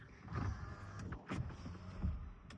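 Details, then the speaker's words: 2006 Cummins pickup passenger power window, which sometimes hadn't worked without help: low motor hum with some glass rub as the window travels, steady with no grinding or stalling; window regulator works fine. "Well, if you don't help it, it doesn't work. Fine. Watch. Oh, maybe it does."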